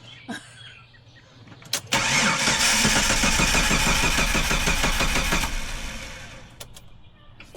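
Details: Jeep after replacing crankshaft and camshaft sensors, on jump box after drained battery: strong even starter cranking about three turns/sec for several seconds, never firing; crank no start, computer next suspected.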